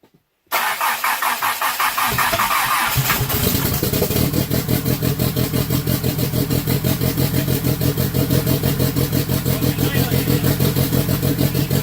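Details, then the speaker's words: Engine on newly wired MegaSquirt base tune with stage 2 turbo cam, LS valve springs and turbo, after idle setting adjusted: short crank, then steady pulsing idle firing evenly on all four cylinders, sounds stock-like; normal start and idle. "Well, it sounds way better than before, at least. Yeah, it definitely sounds like it's running on all four. Yeah, that thing sounds pretty nice."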